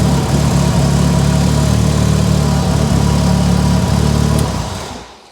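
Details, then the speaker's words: Mitsubishi Evo 8 on a base map, running while power steering is checked: a steady, even low idle with a smooth pulse and no knocks or ticks until it is switched off. A healthy-sounding engine. "what a crispy cold crispy cold cut off healthy though huh very healthy"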